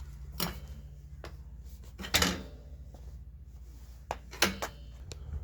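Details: RCB GK2 budget mountain bike. Irregular loose clacks and clunks, about one every two seconds, over a quiet room; the cheap kickstand rattling as the bike moves.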